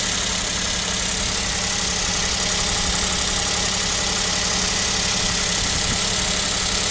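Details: KIA Picanto 2, 1.0 G3LA, cold idle at about -7°C: fast, fairly even light knock about three per second over engine hiss; owner suspects piston knock, overhaul feared, unconfirmed.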